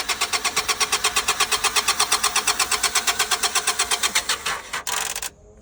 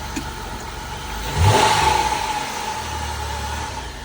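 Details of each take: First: 2000 Honda Accord at an auction yard, jump pack hooked up: steady starter churning at nearly three turns a second with no catch or firing. Cranks but won't start; lack of fuel suspected, though it reportedly just ran. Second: 2006 Dodge Caravan, 3.8 V6, started right up with a jump: steady idle, then one quick throttle blip that climbs cleanly and drops back smoothly. Engine sounds healthy.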